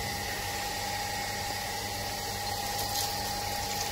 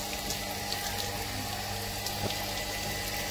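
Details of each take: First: Shimizu automatic water pump before adjustment: steady fixed-tone motor hum with running water, and the pump keeps running after the tap is closed; the pressure switch isn't cutting off, fixed by turning its adjusting screw clockwise about 50 degrees. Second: Shimizu automatic water pump after adjusting the pressure-switch screw: water rushes from the open tap over a steady hum, no rattle or surging, and the pump now shuts off automatically when the tap closes; normal operation.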